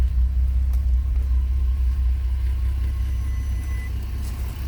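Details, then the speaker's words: Audi TT with turbo 3.4L VR6 on factory management, drive-by-wire throttle fixed, first test drive: deep steady rumble under way, pulling cleanly with only a slight cough; running properly. "It does cough a little bit because it is down on capacity as far as the 3.2 would go, but all in all, seems to go pretty good."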